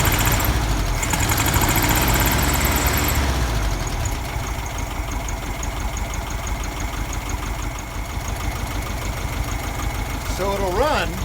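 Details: 1971 VW Beetle air-cooled flat-four with cleaned reproduction Kafer 34 PICT-3 carburetor replacing a 30/31 PICT: uneven, lumpy, wavering rough idle; still problems idling and running smooth despite cleaning.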